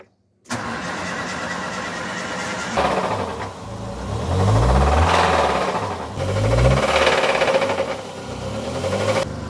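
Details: Ford Ka with a Zetec Rocam engine, about 2010: it catches, then a loud metallic clatter rides over each throttle blip; the timing chain is being replaced.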